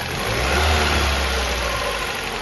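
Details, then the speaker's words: Ford New Fiesta 1.6 Sigma, already somewhat warm, revved and released: hollow knocking under the roar as it drops back to idle. Excessive piston skirt clearance, a chronic cold-phase piston slap on this engine. "que que acontece aqui Pessoal esse esse motor tá com um barulho muito grande na saia de pistão tá"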